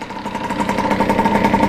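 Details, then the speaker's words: 1989 Kawasaki KX80 big-bore 110cc two-stroke on first ride, in second gear with little fuel: an uneven, pulsing, wavering idle; rough running, and the owner suspects the carb or a plugged spark plug. "the spark plug because obviously it's not running right or that thing is plugged up which it could be"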